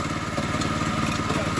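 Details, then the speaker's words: Monster Moto 80 minibike, wheel in the air: idle with an uneven metallic clatter as the clutch sprocket clanks against the housing after the chain popped off; engine itself fine. "The chain popped off, so now it's the big little chain part clanking against the metal part."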